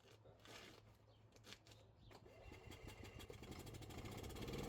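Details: Gas Club Car golf cart with the fuse-box relay wire reconnected and the shifter white wire left disconnected: the small single-cylinder engine putters quietly and builds smoothly without surging or dying. It is running normally.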